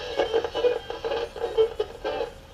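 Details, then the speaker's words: Emerson AE-163 tube radio after recapping, 500K volume pot feeding the 6Q7: radio audio pulses and drops out unevenly as the knob turns; erratic, worn volume control wiper suspected. "and as I rotate the volume control back and forth, you can hear it's pretty erratic. So let me recheck the volume control."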